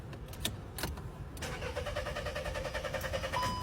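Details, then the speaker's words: Car parked over half a month that won't start despite new spark plugs, cleaned throttle, replaced pump and cleaned oil line: starter spins evenly for seconds but never catches; cause a clogged camshaft solenoid valve filter. "Try again. The car still won't start."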